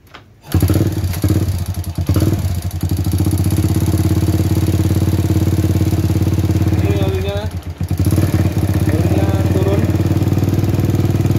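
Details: Supra motorcycle that was not getting oil to the head, after replacing the oil pump with a new one; catches after brief crank and settles into an even steady low idle with no knocking, normal idle.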